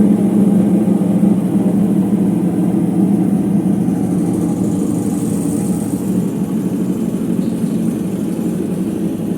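Heavy continuous rumble and roar through the high spin, easing slightly as the drum slows; sounds like worn drum bearings.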